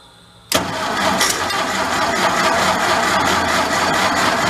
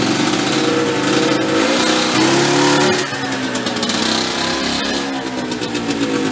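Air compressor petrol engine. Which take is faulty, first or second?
first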